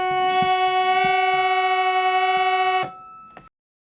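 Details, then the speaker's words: Raga Kirtan Premium harmonium, one note buzzing like a bagpipe; held chord with harsh rasping buzz on one note, reed catching on its frame edge. "So it sounds like a bagpipe. So that's not what we want. So we will also fix this."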